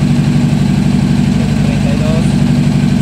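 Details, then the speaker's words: Honda CBR600 starting but very unstable; one cylinder's temperature reads only about 45–55° versus roughly 68–122° on the others. Uneven stumbling idle, roughly four beats a second; that cylinder misfires from a faulty ignition coil whose connector is falling apart. "la vamos a arrancar a ver si me escuchan se escucha cómo está fallando"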